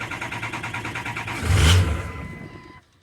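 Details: 2003 6.0 diesel truck, cold start during fuel pressure test with gauge fitted: slow labored cranking catches with a brief surge then dies within a second; struggling to build about 300 psi, fuel pressure problem suspected.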